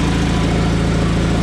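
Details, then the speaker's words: John Deere 317 garden tractor, just reassembled, engine running with an even, steady low drone, no misses or knocks; runs well, though intermittent backfire at shutoff and high-end rpm thought off. "sounds really good runs really well"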